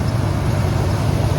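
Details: 1996 Ford E-150 Club Wagon van, 5.8 V8, running just after an alternator replacement (old alternator failed, no start), Gates belt: steady even low rumble, no knock, tick or squeal; runs healthy.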